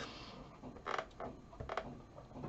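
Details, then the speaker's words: Sinclair ZX81 membrane keyboard typing in TASWORD word processor; soft plastic creaks and taps as keys flex, no clicks; normal membrane keyboard creak. "you can hear the creaking of the keyboard you know flexing a bit of plastic underneath obviously it's not real keys yeah not like a pc"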